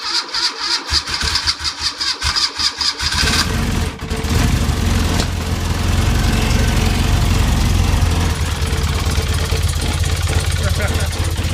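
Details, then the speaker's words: BMW R80 airhead, first start after sitting unknown time, on choke: three seconds of rhythmic starter chugging, then catches cleanly into a steady idle with no smoke; healthy cold start. "Honest. God knows how long since it's run. Listen to that. No smoke, just brilliant. Happy bunny."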